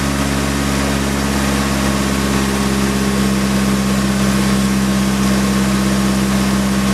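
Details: Nissan S15 SR20DET after an engine flush and oil change: smooth, even idle with a steady low hum and no knocks, ticks or misses; sounds healthier.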